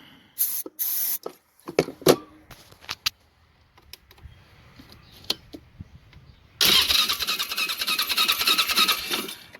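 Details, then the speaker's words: Polaris Sportsman 500 HO ATV, starting fluid sprayed: after clicks, steady cranking about three pulses a second with no firing; loose wire behind the ignition coil causing no spark, crank no start. "Yep, going to tighten that guy up, but that little wire is what's causing the no start, bet."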